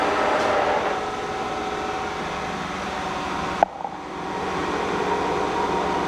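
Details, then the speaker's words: K&T milling machine spindle stepping up from 638 to 1130 rpm: smooth, steady gear-train hum with an even whir and a single brief click. Healthy at speed. "so you can see that the columns and the machine itself is actually running it's running good it sounds nice and I think we're good"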